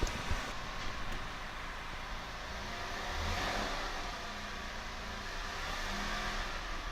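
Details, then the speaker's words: Porsche 997 in neutral after new coil packs for a misfire code, codes cleared. Revs rise and fall smoothly with a clean, even note and no popping or stumble. It used to pop at start; idle is now much smoother. Normal revving. "Yeah, idle's way smoother. We'll give it another couple seconds. No, idle's way smoother. It used to have a little bit of a pop when it started."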